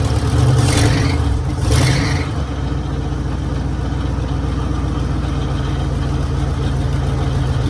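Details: 1966 Mercury Monterey big-block V8 after fixing a fuel leak, water pump leaking: after a brief blip settles into a deep, steady, even rumble with no misses or knocks; idling normally.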